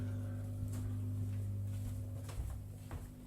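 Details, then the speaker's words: Baxi Ecogen gas-powered CHP generator engine heating a house in a British winter and generating its electricity: quiet, steady low hum with constant tone, no knocks or surges; engine running smoothly, normal running. "there it is a hitter humming that humming that's the ancient that's the engine that's generating our electricity and"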